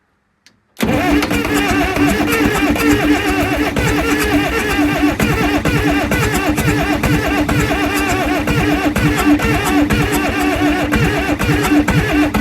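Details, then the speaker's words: Cat 922 loader cranking after head removal and valve cleaning: long steady cranking with uneven soft chuffing, some smoke and no firing; valves still heard leaking with blowby past rings, so low compression prevents starting. "It's seems to be smoking better, but I can still hear them valves leaking. So, I think uh and and I got blowby going through."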